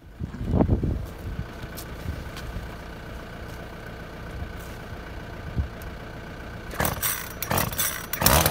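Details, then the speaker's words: Makita top-handle climbing chainsaw, two-stroke, after ignition coil replacement, bar and chain refitted, air filter missing: steady idle then sharp high-rev bursts clearing cleanly; runs sweet, though little chain oil until oiler adjusted. "seems to be running sweet can't get much chain oil though"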